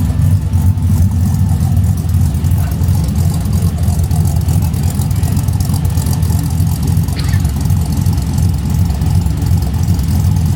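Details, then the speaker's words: LS V8 swapped into a 1988 Ford Bronco, warming up toward thermostat opening, less rich than before, ECU pulling about 10° timing: loud, deep, fairly steady rumble with slight lope that settles; normal warm-up idle. "Not as rich as it was the other day. No. It's drawing like 10 degrees of timing out of it."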